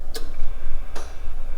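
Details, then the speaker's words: 1975 Datsun 280Z with retrofitted Saturn Vue electric power steering motor, accessory switched on: a light relay click, then a louder engine-bay click about 0.8 seconds later as the power steering engages. "You're going to hear one click from the relay kicking on. You're going to hear another click from the engine bay, which might be a bit louder, and that is the power steering coming on."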